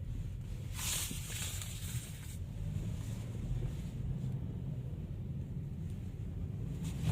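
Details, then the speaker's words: 80,000 km Chevrolet Malibu after replacing the faulty aftermarket left front lower control arm, plus a leaking shock: steady low road rumble over rough pavement, no more suspension clunks. "现在走烂路的时候就不会响"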